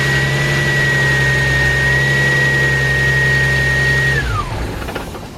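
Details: Z project car running after fitting the correct power steering belt and tightening the tensioner: steady and even, with a constant high tone that slides down as revs drop; power steering working. Normal running.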